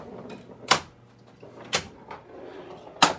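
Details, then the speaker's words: Flight 2000 pinball machine booting: sharp, separate coil clunks about every second as it fires solenoids in ball search, won't fully boot until the missing ball is found. "And the machine is still looking for the ball. So it's kicking everything till the ball gets found."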